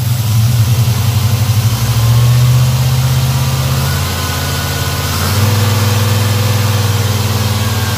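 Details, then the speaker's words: Black Pearl pickup V8 after a TBI throttle body rebuild with cleaned injectors and fuel pressure set a little over 12: a smooth low burble with a slight early blip, then an even idle without stumbles. Normal idle. "looks like cleaning those injectors worked out well she sounds good running good"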